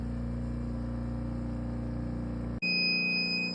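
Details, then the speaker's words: Vacuum press for mounting prints, after pressing the green start button: steady, even motor hum with a constant low drone, then a shift to a higher steady tone as the pump works up to 28; normal vacuum pump running. "sometimes it takes a little bit for the pump which is this right here to get to 28."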